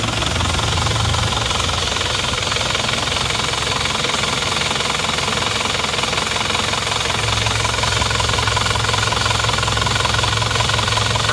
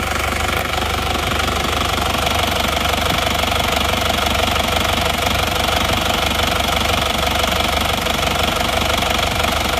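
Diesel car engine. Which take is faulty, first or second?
second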